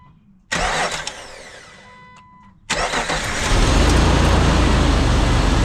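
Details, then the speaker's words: 2005 Jeep TJ 4.0 after replacing the fan belt, idler and tensioner pulley, which had failed and shredded the old belt: short crank, catches cleanly into a smooth steady idle with no squeal or chirp; belt drive healthy. "all right so post startup everything looks great everything appears to be lined up really well on The Idler and the tensioner which both ride on the back side of the belt no squeals no nothing"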